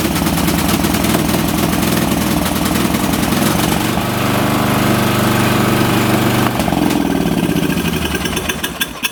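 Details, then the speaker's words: Late-1980s/1990s lawn tractor small engine after safety switch fix: steady thrum that sags and dies on choke; carburetor flooding gas, suspected needle valve and seat, carb to be taken apart and cleaned. "so it dies on the choke and there's a reason there's a fuel valve that problem probably existed before the flooding I mean so now I'm just going to take that carb apart and try to clean it to get this machine running"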